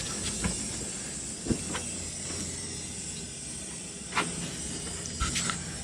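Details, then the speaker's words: Air compressor for steel trawler deck repair, first run after reconnecting the pressure-switch hose: steady hiss of leaking air with scattered knocks and clunks; owner suspects bent fan shroud hitting pulleys after a fall during the workshop move. "yeah it's all looking fine let's give it a shot leaks leaks"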